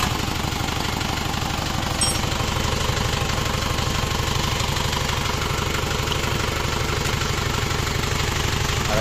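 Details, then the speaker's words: Isuzu Panther double cab diesel after reconditioning and replacing the leaking injector nozzle copper ring: steady even diesel clatter at idle with no hissing; the earlier leaking-nozzle hiss is gone. "sudah ini Alhamdulillah suaranya halus"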